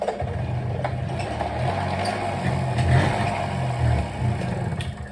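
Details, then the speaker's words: 1983 Honda PA50ii 50cc two-stroke moped after a carburetor clean, ridden up the street: sputters with revs rising and sagging, bogging hard and dying repeatedly. Owner suspects sitting for a couple of weeks gummed up the carb again. "it just keeps dying over and over it's just it's bogging just really hard so unfortunately uh I think this sitting for a couple weeks and me not messing with it has kind of screwed the carb over"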